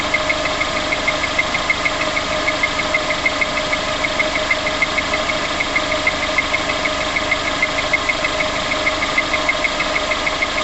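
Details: VX19 engine idling on start-up with a light, even tapping of about three ticks per second.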